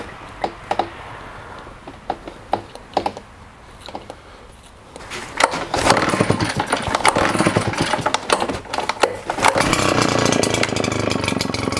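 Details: Husqvarna two-stroke leaf blower with a retrofitted smaller fuel tank, after sitting a long time: a few pull-start tugs, then it catches and keeps running with a steady buzzy note. It starts and runs normally.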